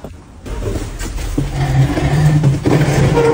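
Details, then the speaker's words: Factory equipment motor hums steadily when switched on after morning start-up but won't turn or run up; electrician first suspects a missing supply phase (also considers overload), cause not yet confirmed, distribution box to be checked. "ブーンという音はモーターのようだ酸素不足か過負荷か相欠ですか惑星のこのような故障現象は不足しているはずだこれはまず欠相を疑わなければならない。"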